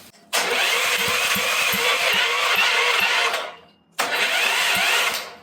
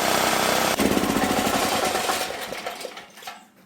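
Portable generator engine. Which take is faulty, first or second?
first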